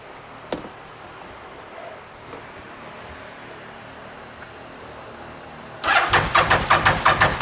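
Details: 2012 Bennche Spire 800 UTV cranking with a steady beat of about three per second, never catching. A jump spark from an insulation fault was also found. No-start.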